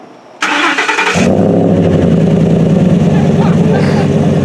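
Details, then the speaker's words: 2012 Ford F-150 Raptor 6.2 L V8, loud exhaust, start and revs; quick crank, catches at once, deep loud even burble with steady firing. Healthy start and rev. "go on give it some licks on rev it up a bit that's nice is that'll give you headache so we've uh yeah it's good isn't it"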